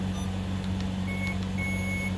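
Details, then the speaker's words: Alaris IV pump under repair, audio adjust menu: two short, steady high test beeps at low volume over a low hum; the alarm sounder works normally on its softer setting. "this is handy when you're in the hospital and the beeping is too loud to deal with but you don't want to silence it because the nurses get grumpy with you you can hit your test or you can go louder or you can go softer"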